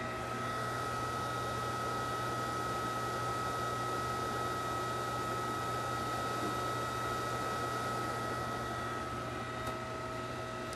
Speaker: if you were standing here you could hear that this pump actually sounds uh quite a bit like gravel going through it that's the the sound of cavitation you would hear the same thing if you were out in the field